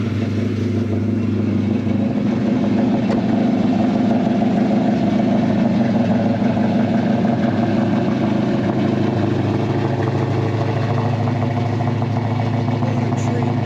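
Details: 1968 Dodge Dart 340 V8, rebuilt A727 transmission, oil pressure rising toward 60: even, deep V8 burble at idle with smooth throttle blips and no knocks or misses; healthy idle.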